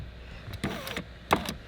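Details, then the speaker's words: Dodge Avenger power window after a new switch assembly gives short bursts of motor whir with clicks and clunks, but the glass sticks and won't rise; the window regulator is broken too. "but it's still sticking now we can hear it it's making noises but the window regulator is broken too"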